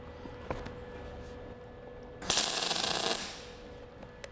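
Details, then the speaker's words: MIG welding a bead on scrap of similar thickness to the work for an engine stand, heat set too low: brief, uneven crackle that sputters instead of frying smoothly, bead sits on top with poor penetration. "So let's start cold. Let's throw a little bead on there. All right, you can tell just by the sound, that's no good."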